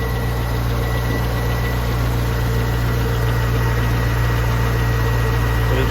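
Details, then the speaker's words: 2002 Chevrolet Corvette C5 Z06, stock LS6 5.7L aluminum-block V8 after start-up: deep steady idle, even beat around three and a half pulses a second, no weird noises, lifter tick or rod knock. Normal idle. "Sounds good. No weird noises, lifter tick, nothing like that. Rod knock, none of that's going on."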